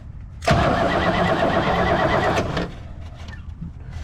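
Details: 1964 Oldsmobile 98 V8 with points ignition, revived after years sitting: steady starter cranking about two seconds without firing, then stops; no spark because the coil wire was left disconnected after distributor work.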